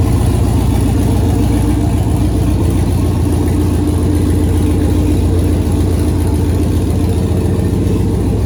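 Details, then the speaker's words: 2008 Silverado prerunner trophy-truck build, V8 with newly installed Holley Terminator X Max ECU and Aeromotive 340 fuel pumps, after updated ECU file finally accepted: deep, steady V8 idle burble, even rhythm, no knocks or misses; runs healthy. "so dang that's gonna do it for this week i'm super stoked to hear that motor run and now i know the computer systems all working good"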